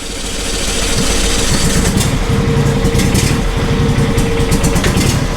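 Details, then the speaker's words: John Deere SST16 zero-turn mower, unused for 5 years and burning off old yellowish fuel: a small single idles with an uneven thrum that swells and sags while the front wheels move. Engine surging at idle, fuel suspected. "and you can hear how it surges and take a look at the front wheels"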